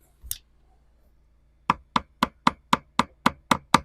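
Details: 1969 Iroquois Mk2 boat deck with 55-year-old balsa core, port bow, tapped with a screwdriver handle: nine short dull thuds with little ring, pointing to a water-saturated core.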